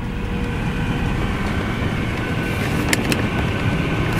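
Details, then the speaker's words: Mercedes-Benz S550 W221 after blower motor and resistor replacement, fan on setting seven, driver's side: steady even rush of air with no rattles, ticks or squeals, cuts off correctly when switched off; blower healthy. "can feel it come out events now and you can hear it that is on so now when i hit all buttons it cuts right off which that's what it's supposed to do"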